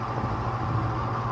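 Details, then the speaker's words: Early-1950s Lasko-made Jet 20" box fan on low speed: heavy buzzy motor hum, abnormal; owner suspects the noise stems from bearing/rotor misalignment, worn bearings, and a wobbling blade needing fiber washers. "And there's that funky motor noise I'm telling you about."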